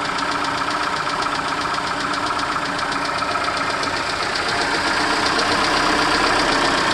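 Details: Peugeot/Citroën TU5JP4 engine cold: steady, fast ticking knock about four per second over a cold idle without letup; cold-start knock, cause unknown.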